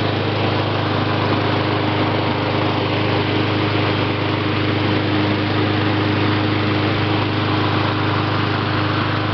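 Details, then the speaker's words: Mountfield 533 self-propelled petrol mower, RM55 OHV 160cc engine, started on choke, first pull: steady even drone with constant low beat, no misfires, surging or knocks; normal running. "Quite easy to pull. Starts first time."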